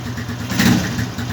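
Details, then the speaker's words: Zanella RX 150 carbureted motorcycle after a cold start on a cool morning: a steady, even idle that has risen to about 1000 rpm as it warms, up from its usual 800 rpm when cold. Healthy and running smoothly. "ya calentó un poquito está el 1000 pero Generalmente cuando arranca así en frío queda en 800 vueltas sin necesidad de llevarla"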